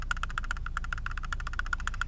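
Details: Lada Vesta: sharp hollow tapping about seven times a second over small bumps with road rumble; loose interior trim rattle, eased by wedging paper in behind the panel.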